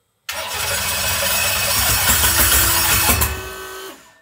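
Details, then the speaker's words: 632ci big-block Chevy V8 in a 2016 RPM Cheyenne jet boat after a JB Weld fix for water in the oil. It cranks, catches at once and runs loud and even briefly. The new alternator is smoking, possibly from a tight belt or wire. Normal running after start. "boat sounds good motor sounds healthy new alternator is smoking"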